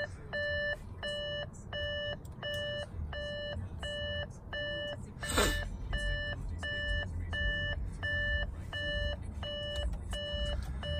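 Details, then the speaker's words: Copart-wrecked Audi A7 TDI quattro with deployed airbags: a bright chime repeats steadily in a quiet cabin as the car warns to turn off the engine and check coolant level. The starter can be heard clicking. "is actually not bad turn off engine and check coolant level this thing's freaking out"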